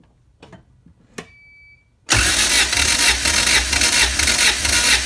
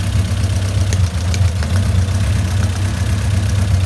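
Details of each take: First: Honda CRX all-motor B17 that jumped timing on the highway, suspected bent valves; compression test cranking with throttle held open; even churning beat about two a second, healthy cranking. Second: Honda CRX with all-motor B17, suspected bent valves after jumping time while crossing into VTEC on highway. Low steady idle with uneven lope and faint stumble, one cylinder not pulling its weight; misfire, compression test next.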